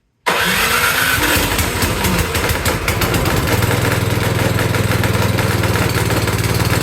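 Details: Cub Cadet 524 snowblower that ran rough and smoky, after carburetor cleaning; started on choke with primer, it catches after a short crank and settles into a steady, even putter with no misfires or surging.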